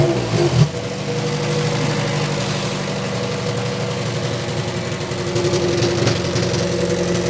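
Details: 2006 Toyota Matrix 4WD revved hard: deep, muffled exhaust drone rising and falling with revs, sounding choked; noise from the rear, owner suspects muffler internals disintegrating and blocking, with a small leak at the muffler-to-pipe clamp.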